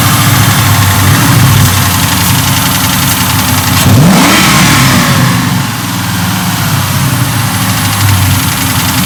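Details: Mark VIII V8 swap, freshly run after swap and flash with alternator not charging (10.5 V): light, uneven ticking over a steady idle rumble; suspected lifter tick, may clear with more run time.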